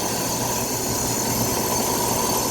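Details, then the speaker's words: Old inaccessible, neglected air handler (dirty) serving an old Carrier R22 condenser: steady blower rush with a thin high squeal from a wobbling fan motor that will not last much longer. "It's dirty as crap. You can hear that squeal out of the fan motor. Got a little wobble to it too."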